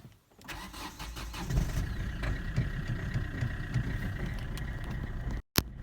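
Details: Kia Ceed 1.6 CRDI 85 kW diesel cold start below 5°C: long cranking, then uneven lumpy idle with irregular knocks and blue smoke. Three glow plugs were dead; the burnt main glow plug relay was the real fix.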